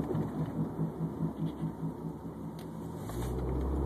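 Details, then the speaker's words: Subaru Baja with press-in wheel bearings at about 151,000 miles, while driving: a low wah-wah drone pulsing about twice a second that shifts as weight moves onto the wheel; a worn wheel bearing with a flat spot on the race. "that's how you know bearing's bad cuz it's like every time I shift the weight on the wheel it hits a flat spot whenever the rollers are going over the flat spot inside the bearing race is what's making all that noise"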